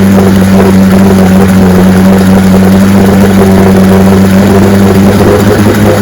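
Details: 1965 75 hp Evinrude Electromatic outboard (owner thought 1963) with electromatic shift, serviced with new water pump impeller and lower unit: loud, steady, even drone with low hum, no knocks or misses; runs like a charm.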